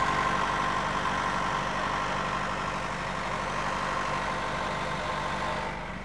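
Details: Nissan Primera engine at idle: faint regular tapping about four per second over a steady idle; engine knock, located only as "somewhere over there", cause unknown.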